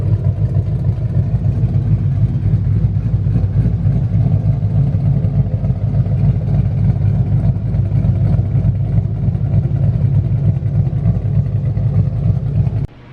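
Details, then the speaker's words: Newly installed 5.2L Coyote V8, first running after install: even, deep burble at steady idle with no clicking or rattle, running smoothly until switched off; earlier tensioner clicking stopped once oil pressure built; normal idle. "we got the car running it's all good it's ready for tomorrow"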